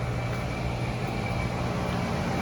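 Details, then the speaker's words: 240VAC central AC condenser on Powerjack 12000 AMG inverter, drawing about 37 A DC at 48 V: steady low hum with faint constant high tone, compressor and fan smooth with no knocks; started without trouble, normal running. "I'll check the temperature here in a minute, but it appeared to have no trouble starting her."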